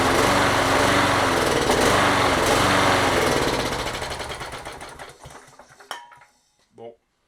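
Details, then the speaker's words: Toro 20789 mower, Briggs & Stratton Intek engine, restarted on starting spray: runs briefly, beat slows and dies within seconds, as if no fuel reaches the carburetor; water in the carburetor and a clogged jet found. "Ça fait comme si pas d'essence qui allait au carburateur, donc on va devoir le démonter. Il y a de l'eau. Il y a de l'eau dans le carbu."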